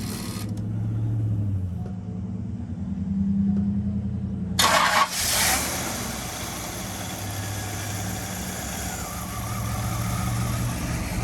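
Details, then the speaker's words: 1992 Cadillac Allante, Hurricane Ian flood car with 38,000 miles: engine cranks, catches and settles into a steady idle with no whine; transmission pump noise gone after fluid top-up. "the pump isn't making noise anymore"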